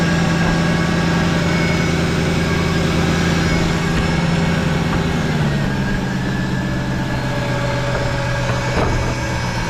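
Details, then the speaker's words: Mercedes SLK 55 AMG (R171), M113 V8, first start after replacing broken drive pulley and serpentine belt: deep even idle, steady low beat, no squeal, chirp or knock from the belt drive; runs healthy. "yes that sounds sweet"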